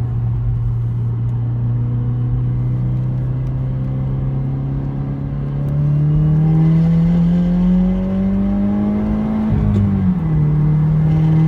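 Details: 2017 Subaru WRX, stock apart from an axle-back exhaust: engine climbs under throttle with a raspy puffing edge from a snapped/missing nut on the exhaust manifold, causing a boost/exhaust leak, the second time this has happened.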